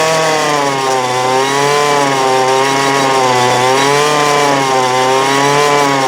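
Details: 2008 Poulan Pro PP25E 25cc straight-shaft trimmer, abused, with misrouted fuel lines and a clogged carb screen, running again: small two-stroke holds a steady high buzz with pitch hunting slightly, smoking as it burns off garbage; still needs carb adjustment.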